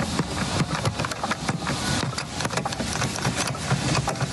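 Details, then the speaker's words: Mercedes GLS rear door handle being worked: sharp, irregular plastic clicks and rattles over a steady idle; the handle is made slightly loose, perhaps on purpose, and rattles. "For example, the back door handle, it's made a little bit loose and I guess that's made on purpose, but in practice it looks like this."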